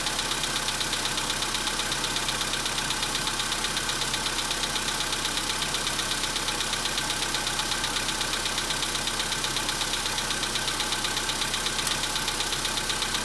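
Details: 2015 VW Polo Sedan, 91,315 km, cold start at about -10 °C: steady even knock near three beats a second through the warm-up, nearly gone by about 5 °C engine temp; cause not pinned down.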